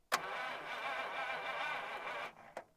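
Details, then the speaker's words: 1951 Buick Super straight-eight, sitting about 25 years: a quick clunk, about two seconds of even starter whirr turning the engine, then a click after a hammer freed the solenoid; it keeps cutting in and out, so ground wires will be checked. Sticking starter solenoid. "ah check our ground wires keep losing our solenoid yeah solenoid keeps coming and going"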